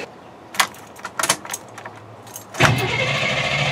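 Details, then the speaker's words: 1989 GMC 3+3 truck after upgrading ground and starter cables to 4/0 welding cable: few clicks, then brisk strong cranking that never fires, fuel pump not heard running, owner suspects fuel pump switch or fuel; cranks but no start. "turns over like crazy never turned over that good so I I don't even hear the fuel pump run"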